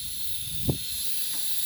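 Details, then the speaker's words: Simplex pump under restoration, run on regulated compressed air: a constant sharp hiss over a faint low rumble. Much air is escaping near the blow-down valve and a hiss comes from inside; the owner suspects an internal valve and plans a water test. Cause unconfirmed. "so I've got the air on now you can hear it I can feel the air coming out of there quite a lot there's quite a bit escap in there so that's really bad"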